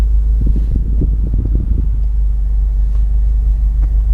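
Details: Over a low engine rumble, dull creaks and clicks come as the clutch pedal moves on a 2011 Subaru STI. The dealer has replaced the clutch switch so far, but the noise remains.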